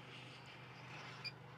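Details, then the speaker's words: MAXX AirFan Deluxe in a Winnebago Revel at 40% speed after replacing motor bearings (608Z with 608-2RS): only soft steady air rush, no squeak from the motor; fan now quiet. "this is running at 40 percent now there's zero noise now coming from the motor I mean I can hear the fan running I can hear the air moving but there's no noise from the motor itself"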